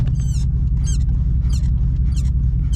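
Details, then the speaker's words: GMC Sierra Denali at idle: high chirpy squeak about every half second from the brake pedal area; has always squeaked, persists after lubricating the springs and shaft; brake pedal squeak, cause unclear. "it's always squeaked like that if y'all know how to fix that let me know"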